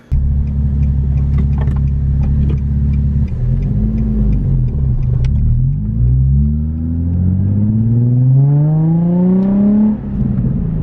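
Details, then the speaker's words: Nissan 350Z after new valve cover gaskets, plugs, plenum gaskets, Y-pipe and test pipes, done to fix a P0300 random misfire: deep loud burbling idle, then smooth rising revs with no miss or stumble; running clean, exhaust very loud. "Dude, that sounds good. What the heck?"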